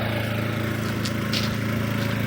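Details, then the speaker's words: RVMP 5500 onboard generator on a Brinkley 3950 RV, newly switched from LPG to onboard gasoline after an oil change: steady, even drone with no misses or surging. Normal running, about 20 minutes without issues. "All right, so I successfully ran it for like 20 minutes. Everything's good on it."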